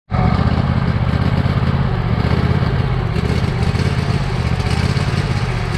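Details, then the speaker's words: Badly neglected Cub Cadet lawn tractor engine on its old carburetor, before replacement; rough idle loping badly, speed rising and sagging. Smooths somewhat on partial choke, which owner takes as indication of a clogged main jet; hunting idle. "As you just heard, friends, it's loping quite badly. I can get it to smooth out somewhat if I run it on partial choke. That's a good indication that the main jet is clogged."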